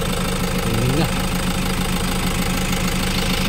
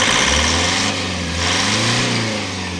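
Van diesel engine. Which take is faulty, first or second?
second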